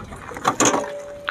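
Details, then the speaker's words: TVS Apache RTR 180: sharp metallic clank with ringing note as the motorcycle comes off its center stand, metal-on-metal because the round rubber stopper under the stand is missing; fix is fitting a new stopper. "तो भाई यहां पर turn करके आवाज ए रही है जो की यहां पर स्टैंड ही आवाज करो इसी बात है"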